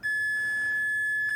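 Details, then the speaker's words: Cheap Chinese C5 power lead with North American plug, multimeter continuity test from pin to connector pinhole: single steady high beep lasting over a second, confirming an unbroken conductor. "So we'll go for the pin here to start with, and if there is continuity, then of course we should hear that."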